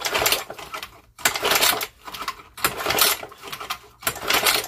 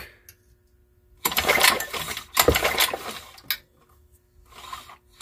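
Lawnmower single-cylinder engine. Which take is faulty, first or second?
second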